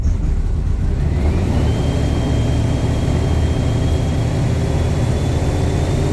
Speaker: basically uh it runs like [ __ ] like literally [ __ ] uh it sounds the engine sounds different it sounds like woy woy